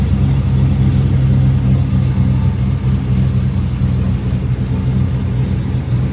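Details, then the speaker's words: LS-swapped 1954 Chevy Bel Air with a long-sitting motor and dirty plugs, after attention to a weak number one cylinder using used plugs. Steady, even low idle rumble with no skipped beats; all eight cylinders firing cleanly, much improved. "That sounds so much better."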